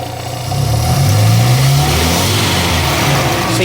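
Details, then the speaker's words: Classic Morris Minor back running after years off the road, just after the distributor was tweaked and the mixture screw adjusted: engine picks up cleanly from idle and holds steady revs with no stumbling or hunting; normal revving. "consistent obviously I take for a drive to see what it's like but overall that sounds good and then if you listen to the ex note as well I'd say we're about there"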